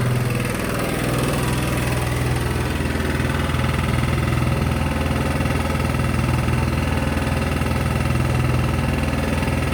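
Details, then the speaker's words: Sykes GP80 water pump with a Lister TR1 single-cylinder diesel, bought at auction: steady, even, loud low thump at idle with no knocks, misses or rattles, and the battery charging at 14 volts; a healthy-running engine. "I'm actually over the moon with that albeit loud as something that I won't say"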